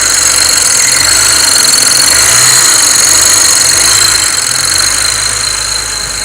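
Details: BMW 335i at idle with a steady high-pitched whistle of several thin tones that barely changes with revs; source unclear. High-pitched whine at idle.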